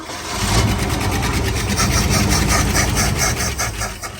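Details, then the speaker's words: 1970 Ford Bronco, carbureted, first start in 8 years: catches and runs ragged with rising and sagging speed, seemingly not drawing gas from tank; cause unknown after long storage (pump, tank or filters possible). "Yeah, it just sounds like it's not picking up any gas from the gas tank, which again, with it setting this long, can be multiple causes"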